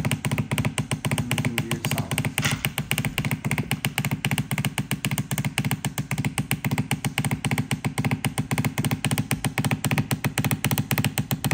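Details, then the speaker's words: Shark steam mop model S3601, running with a piece removed: a loud, rapid, pulsing buzz with a low thump, noisy for about a month. The owner thinks it comes from the motor/pump pushing out excessive water. "I'll try to find out where this sound is coming from. One thing I noticed is this piece was, because when I was making weird sound, I think it's coming from this motor, and because it's pushed excessive water out from here, and this, I removed this piece."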